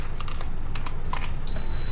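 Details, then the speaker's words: Merits Roadster S4 mobility scooter, new after assembly: ignition turned on, light clicks then steady high electronic beep and it won't drive, meaning the freewheel is in neutral; fix by disengaging the yellow neutral lever at the back. "and if you turn on your ignition and you can hear the scooter beeping at me and it won't Thrive either this means we're in neutral so you'll want to disengage the neutral lever"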